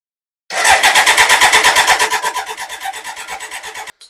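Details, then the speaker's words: Older BMW K100 motorcycle whose in-tank fuel pump is believed to run only while the starter is engaged: steady cranking near three turns a second for about three seconds, never catching; crank no start, fuel found to have leaked out, owner suspects tank leak. "okay so that's a no it wasn't just fuel that's fine"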